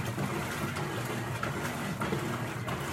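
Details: Electrolux 12 kg top-load washer after replacing a small broken part that caused strange agitation noise, low water level: soft even swishing of agitator reversing about every half second, no clatter or slipping; normal agitation, fixed.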